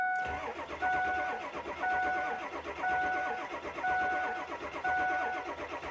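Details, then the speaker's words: 2003 Ford F350 7.3 liter: starter turns the engine over steadily and laboriously for six seconds without firing. Crank no start; the customer says it starts cold but not when hot. Cause not yet found. "So now let's crank the engine and see what happens. Okay, it doesn't want to start."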